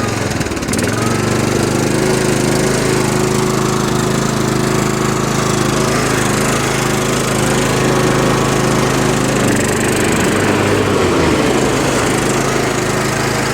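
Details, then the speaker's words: Free Toro riding mower, 20 hp, 42-inch cut, 196 hours, after a no-crank issue traced to a missing fuse: steady single-cylinder drone at even pitch, no misses or stumbles; runs smoothly. Smoke later seen from the muffler, likely a mouse nest. "so free lawn mower yeah it works bud needs a fuse"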